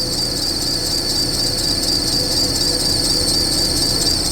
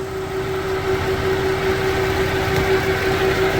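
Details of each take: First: Springfield Coach limo engine cold-started, giving a sharp steady belt squeal over idle that drops about 95% after 10 minutes of warm-up; owner plans to bypass the idler pulley with a different belt, cause not confirmed. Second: Pinnacle-built Dodge Charger limo, same 3.6L V6 with dual AC compressors and no idler pulley: smooth, even idle with steady hum, no belt chirp or squeal; normal belt drive at idle.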